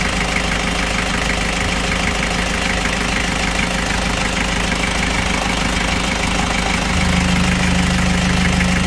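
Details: Kia Bongo Frontier 3.0 JT diesel at steady idle with a dull regular knock about three per second; engine also overheats (no shroud), low power, black smoke, bad injector calibration; general overhaul due.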